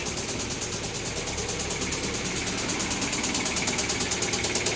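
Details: 2015 Kia Soul 1.6L petrol engine, 124,000 miles, check engine light on, battery on charger: steady, sharp knock about three beats a second at idle from the lower end; rod bearing and piston failure.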